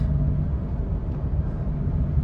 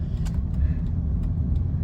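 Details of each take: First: High-mileage Honda Pilot cruising: a steady low droning growl over road noise from about 40 mph, louder or changing pitch when steering right. Cause is the front right wheel bearing with dried-up grease, replaced in-vehicle. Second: High-mileage Honda Pilot after front right (passenger) wheel bearing replacement, driving at about 40 mph: steady low road rumble with no hum or growl; previous bearing noise above 30–40 mph from dried-up grease is gone.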